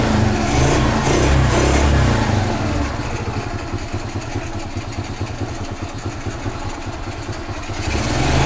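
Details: Carbureted G-Moto Cross X Pro moped running with the air filter removed during filter service: a steady, slightly uneven single-cylinder putter with an open, hissy intake roar.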